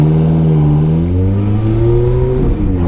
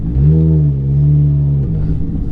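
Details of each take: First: Ferrari F430 F1 after setting the PIS (point of initial slip) clutch value to 4.90. Revs climb smoothly from a stop and pull cleanly with no slip; upshift and downshifts feel much better. Normal clutch engagement. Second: Ferrari F430 F1, pulling away before the PIS (point of initial slip) clutch adjustment. Revs climb and hang high without the car pulling harder, then drop as the throttle lifts; the clutch slips substantially on take-off.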